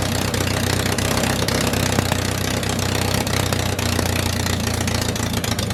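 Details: MG Midget with swapped engine, first start after completing the fuel system: uneven low thrum with slight stumbles, only keeps running with help; won't settle into a stable idle on its own.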